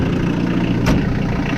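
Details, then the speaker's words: Diesel-swapped Suzuki Samurai, fired after glowing via push-button relay; steady low tractor-like diesel clatter at idle, even, through a two-inch stock-style cherry bomb exhaust with 2.5-inch downpipe, very quiet; normal diesel idle. "it is way too quiet i put the downpipe to the stock all stockish cherry bomb exhaust two inch"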